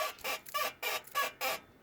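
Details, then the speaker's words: Car's rear suspension pushed down and released from behind: five sharp, high, dry squeaks, one per push; rear suspension squeak. "Right, so start from the top. Suspension. Stand back here and I push the back here, you'll hear it. Or just lift it."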